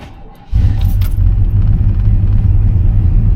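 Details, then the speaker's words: Suburban with Vortec 5.7 V8 after 3-day crank-no-start fix, loose manifold pressure sensor tightened: starts instantly and settles into deep steady rumble, no misses; healthy. "Instantaneous ignition."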